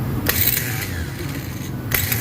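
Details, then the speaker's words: Ford EcoSport Titanium starter motor bench-run after a no-crank fault: rough, gravelly whir with sharp clatter at start and stop; worn mid bearing is noisy though torque is good; starter needs replacement. "Maingay na yung bearing. Wala sir ah mas maganda. Okay guys. So ang problema yung starter."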